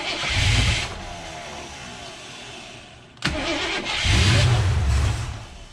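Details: AMC 360 V8 just rebuilt after a lost cam, with new Summit 8600 cam, lifters, timing set, bearings, Edelbrock carb, HEI distributor, oil primed with ZDDP: cranks, fires, drops to a low even idle, picks up cleanly on a blip; oil pressure 25 versus under 10 before; normal start and idle.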